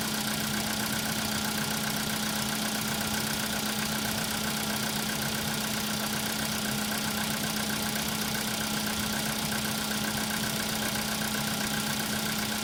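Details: Cold-start idle: a steady hum with a fast, fairly regular light knock, about four per second, riding over it; a cold-start knock.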